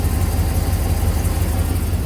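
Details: 2006 Chevy 3500 dump truck V8 idling during oil pressure test: deep even rumble with steady firing pulse, no knocks or ticks; healthy idle, actual oil pressure 42-45 psi, dash gauge reads low.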